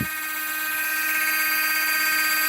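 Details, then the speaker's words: LGB small locomotive motor and reassembled gearbox on bench supply at 24 volts maximum, about half an amp: loud steady high-pitched whine, no knocks or grinding; normal gear whine at full speed, just noisy. "So this is 20 volts, and this is 24 volts. As you can see, it makes a lot of noise."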